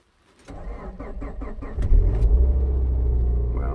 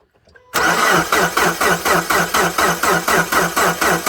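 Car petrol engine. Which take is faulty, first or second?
second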